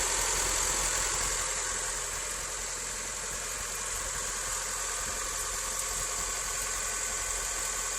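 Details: 2007 Honda Civic LX, 168,000 km (about 70k miles), switched from synthetic to regular oil, just started cold: busy, tinny rattle over steady idle; cause unknown.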